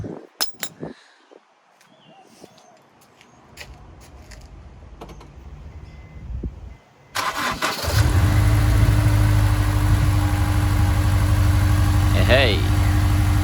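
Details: Honda S2000 just after fitting a new Gates 6PK1460 drive belt to cure a squeak; some clatter, then the engine cranks and catches into a steady, even idle with no squeal or chirp from the belt.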